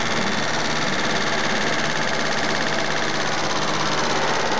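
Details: Mitsubishi GTO at steady idle with a light, quick tick over the engine note; owner suspects lifter tick, not confirmed, and plans an oil change to Millers 10W-40 fully synthetic.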